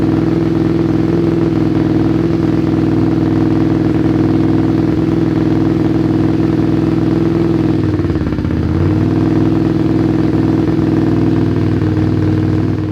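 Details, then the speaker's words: Motorcycle twin carburetors being synced at idle with gauges: steady idle drone whose tone dips and shifts as the balance adjustment screw is turned, then settles; carburetors brought into sync. "Totally honest with you, I could hear the change that was happening when I was turning this screw."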